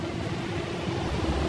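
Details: 2011 Ford Everest, 5R55 automatic transmission: steady mid-pitched hum under soft road rush, holding level throughout; drone from inside the gearbox.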